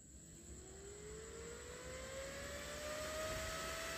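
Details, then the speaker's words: 12V DC fan on a TIP41 DC dimmer speed module (fan max 3A), turned up to high speed: smooth whir rising steadily to an even tone with no rattle; running normally. "nah ini kipasnya ini ini saya akan lanjut ke putaran tinggi"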